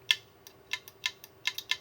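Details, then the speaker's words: 5 TB hard drive clicking when plugged into a docking station: sharp dry clicks two or three a second over a faint spin hum, the read arm seeking back and forth (click of death). "What that is, that is a uh read arm inside the drive clicking back and forth. Um I'll show you here what that is. Whenever you hear that clicking noise, it's this arm right here that reads the disc."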